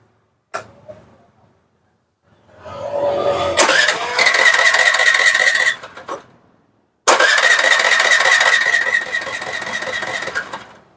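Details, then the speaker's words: Suzuki Access 125 BS6 scooter with high racing rpm problem, idle air valve (sensor) screwed in too far during adjustment: two bursts of starter cranking with no catch; won't start without throttle. "வண்டி ஸ்டார்ட்டே ஆகல waste பண்ணா start ஆகுது ஆக்சட் குடுக்காம start பண்ணனா start ஆகல"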